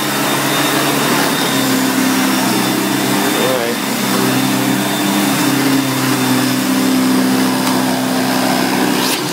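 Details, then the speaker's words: 1990 Electrolux 616 Electronic (Z616AE) vacuum cleaner, bought used and cleaned, edge-cleaning: steady, even motor hum at constant pitch, no rattles, surges or scraping; motor runs really good, normal running. "so as you can hear it runs really good"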